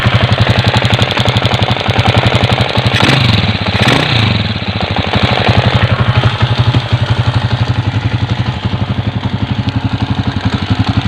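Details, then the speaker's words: Honda TMX 155 motorcycle at idle: sharp regular knock riding on the idle, from a dislodged oil seal striking the engine sprocket, heard before the sprocket cover is removed to show the noise source. "Oops! May narinig kayo, may tumutok-tok, no? Nandito lang yung mga pre, buksan natin para makita nyo."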